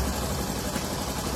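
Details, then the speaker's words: 2018 Honda Pop 110i single-cylinder idling smooth and quiet with no tick, rattle or knock after replacing the slapping cam chain, tensioners, oil pump chain and gear; normal idle after repair. "Redondinha, sem nenhum tipo de barulho, silenciosinha, bonitinha, barulho gostoso de se ouvir, ó."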